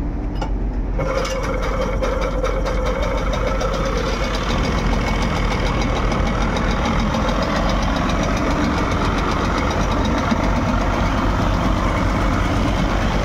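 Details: Mercury 25 outboard on a fast rescue boat, after a hard-starting fix (carburetor cleaning, igniter/spark plug checks) following a cold-weather voyage; steady even running note, no misses or surging, under background music: normal idle.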